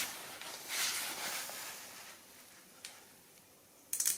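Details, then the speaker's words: Relay bench test from a 2004 Toyota Avensis D4D that won't start cold: coil fed 12 V from external supply; single crisp click as the coil is powered, relay pulls in normally. "Voilà, là on a entendu le clic."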